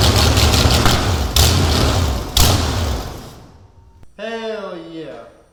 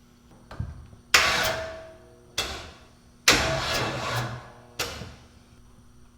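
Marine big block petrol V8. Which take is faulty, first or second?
second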